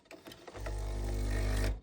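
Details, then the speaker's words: Breville Dual Boiler BES900 espresso machine, boiler full: low steady buzzing hum for about a second then cutting off, much weaker than usual; vibratory pump working but weak. "and at least the pump is okay working okay not the best it's usually much stronger than this"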